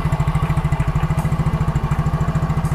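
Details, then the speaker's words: Yamaha Mio Soul GT fuel-injected scooter that wouldn't electric-start and clicked, after replacing the burnt starter motor: steady, even single-cylinder idle with no clicking. Starter now works and the engine idles normally. "Nah itu bro ngerti dinamo starter yang eh sudah normal ya"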